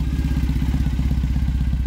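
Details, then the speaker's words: Customized Triumph Bonneville bobber/drag bike just after its second-ever start: deep, even thumping twin idle around fourteen beats a second, steady and strong with no ticks or knocks; normal idle. "Does that sound great or what? It's spectacular."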